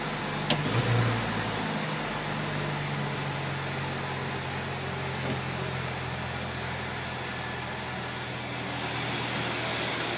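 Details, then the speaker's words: Ford Ranger petrol engine idling with a faint quick lifter tick over the hum after Bardahl additive was added, still ticking while left running to free up the lifter. "yeah you can still hear that lifter ticking a bit let that run for a couple minutes and let that bird all get into it free up that lifter a bit"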